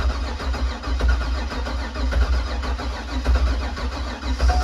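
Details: Supercharged C5 Corvette Z06, unrun for over 3 years in storage, fuse-box power jumped to rule out relay or VATS security: steady starter cranking with even low chugging for five seconds, never catches. Cranks, no start; crank sensor, ignition or injectors suspected.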